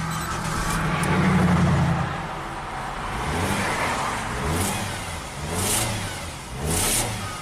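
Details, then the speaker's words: Nissan Sentra with shorted 5V reference circuit: revs rise and fall in short choked bursts, slow to climb; owner suspects a clogged catalytic converter or exhaust restriction, not confirmed. "does that sound like a clogged cat to you"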